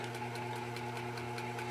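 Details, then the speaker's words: Early-1900s Century 60-inch antique ceiling fan, oil cup filled but still stiff: steady low electrical hum with faint light bearing ticks, smooth and quiet; earlier rotor-to-stator scraping has stopped; normal running. "Just a little bit of a hum, a little bit of bearing noise, but nothing major."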